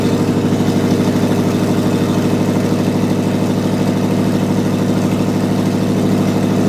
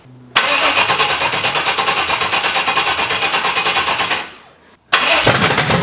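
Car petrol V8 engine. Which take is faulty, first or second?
second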